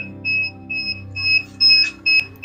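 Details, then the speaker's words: Repaired incubator first powered up with new controller parts, fan running, reading 64°F against a 100.4°F set value: repeated short high-pitched beeps in uneven bursts; expected low-temperature alarm at startup. "I've got a bunch of alarms but that's to be expected coming in at 64."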